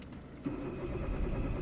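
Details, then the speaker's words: Citroën C4 1.6 petrol, trouble code P1694; starter cranks the engine at a steady beat but it never catches, and live data shows no engine speed; failed crankshaft position sensor, crank no start, before replacement. "So I'm cranking the engine. I don't know if you can hear, and as you can see, was no engine speed. So obviously I'm a believer that the crankshaft sensor is gone. That's why the engine is not starting."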